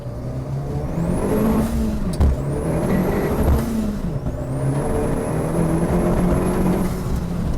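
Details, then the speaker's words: Renault Clio swapped with an Audi 1.8 20-valve turbo, road test after the lost-drive fault was repaired: engine pulls hard through the gears with a rising turbo whistle, dump valve blowing, and steady drive under load; normal acceleration. "It gave you enough power. There was enough there not to have to keep changing gear to get on the power band."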